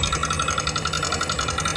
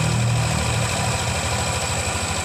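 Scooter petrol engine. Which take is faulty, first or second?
first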